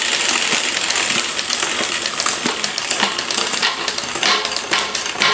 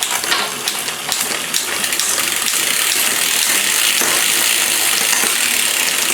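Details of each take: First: Liv road bike rear derailleur after adding cable tension at the barrel adjuster: light clicks and chain ticking, now much quieter and clean shifting down the cassette, previously noisy from too little tension. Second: Liv road bike during overhaul, rear derailleur being adjusted via barrel adjuster: bright uneven chain clatter and ticking shifting down the cassette because the gear cable still needs more tension.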